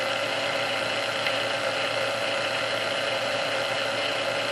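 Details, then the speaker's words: Previously restored Sunbeam Mixmaster Model 12, back because it quickly overheated its resistor; all internal parts swapped (cause still unknown), speed adjusted, warmed a couple of minutes, then run on low: steady, even motor hum with no surging, rattling or grinding. Normal motor running. "We're going to turn this on and just let it run on low for a little bit here, and and just see what happens."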